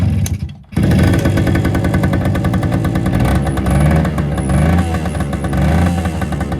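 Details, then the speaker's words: 1974 Kawasaki MC1 90cc two-stroke motorcycle after fitting a new spark plug (cleaning the old one hadn't worked): crisp, rapid popping that picks up with each throttle blip and fires evenly; now runs healthy. "all right so new spark plug I guess fixed it I guess the other one I just just cleaning it didn't do it"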